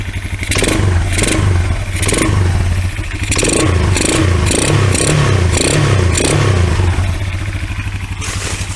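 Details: Kawasaki Bayou 220 four-wheeler, bought non-running, on 92-octane 50:1 mix poured down the carburetor: single-cylinder engine catches and revs up and down, pulling cleanly and staying running without knock or misfire; normal running and revving.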